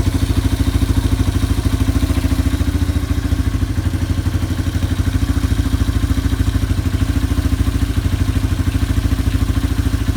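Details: Yamaha ATV (four-wheeler) idling after carburetor cleaning and float adjustment, new air filter being fitted before the air box lid goes on. Steady, even single-cylinder putter at low idle, no misses or knocks: normal idle.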